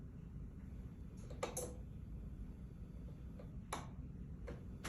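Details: Maytag dryer model MEDE500VW1 on normal cycle, start pressed: a couple of sharp single clicks with no motor hum or drum rumble, so the motor isn't starting. Owner suspects drum belt, thermostat or thermal fuse; not confirmed.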